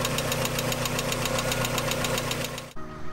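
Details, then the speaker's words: Reference clip inserted in a rod-bearing repair of a 1995 Mazda Miata: light, crisp ticking about four a second over a steady petrol idle, hydraulic lifter tick, not to be confused with rod knock. "it's kind of hard to rule out whether or not something is a rod bearing you just kind of have to know what it sounds like originally not to get confused with the lifter tick which we'll put in a clip of what lift your tick sounds like"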